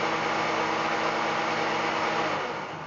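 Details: Fehlmann Picomax 50 CNC spindle motor on a three-phase inverter, switched to its second speed (about 1250 rpm per the chart): smooth, even motor whine at constant pitch with no knocks or roughness; normal spindle run.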